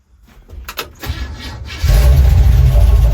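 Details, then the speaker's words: 1966 Chevrolet C10 project truck, exhaust hanging low and unfinished: engine catches into rough idle with fast light ticking about four a second up top over the exhaust; valves need adjusting. "then I got to get the valves adjusted you can hear it ticking up there"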